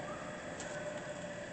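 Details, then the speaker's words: Harig Super 612 6x12 hand feed surface grinder with Walker Surmax chuck, auto lube, under power: quiet, smooth spindle hum with faint steady tone, no knocking or grinding; normal spindle running. "You'll hear the spindles very quiet. Just move some axes, not much else to see, but it'll give you an idea of the grinder's condition. Very quiet spindle,"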